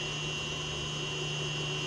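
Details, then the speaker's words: Haas VF-3 retrofit with a VFD feeding the spindle motor about 233 volts, factory set to 50 Hz: a steady high-pitched electrical whine over a constant low hum; the owner ties the whine to the drive's frequency settings. "That whining is making a lot of noise. I'll show you why."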